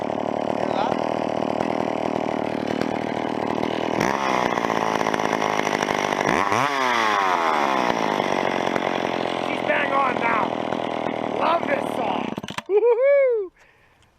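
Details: Old McCulloch chainsaw after tuning the carburettor high-speed screw: it revs cleanly to full speed with room left to go and drops back without bogging, the high-speed mixture now properly set.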